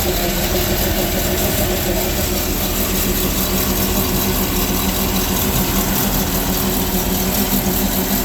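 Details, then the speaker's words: Sea Ray boat, Mercruiser Chevy 350 5.7 L 260 hp, after a power steering leak investigation found the cooler not leaking: a steady, even, quiet low V8 rumble with no knocks or misses. Normal running. "the other good news is we get to fire up this 350 with 260 horses of Fury and listen to it sing listen to how quiet that engine is foreign"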